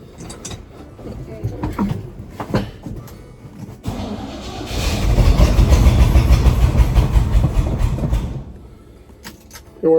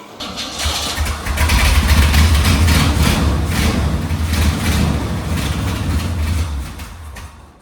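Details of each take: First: Old GMC Squarebody K10 sitting about ten years, mechanical fuel pump: starter churns the engine at an even rhythm for several seconds but it never catches; fuel not reaching the carburettor, likely old or bad fuel. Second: Old GMC Squarebody K10 sitting for years, fuel poured into carburettor: cranks, catches and runs with a deep steady rumble for several seconds, smoky, then fades as the poured-in fuel burns off; tank fuel not picking up, likely bad.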